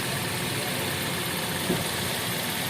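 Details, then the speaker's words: Suzuki R3 automatic idling with AC on after repairing the AC compressor: steady even hum, no squeal or rattle from belt drive; runs smooth and AC cold. "Oke, sekarang sudah lancar. AC-nya juga dingin."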